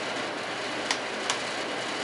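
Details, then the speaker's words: Junkyard Torcan box fan running: smooth, even rush of air, no rattle or rub, quiet and healthy despite slight jiggle. "It's actually really quiet. It's actually a nice quiet box fan,"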